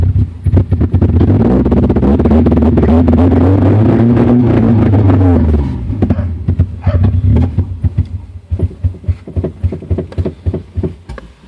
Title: 2000 Honda CR-V B20z Runs / Misfires / Stalls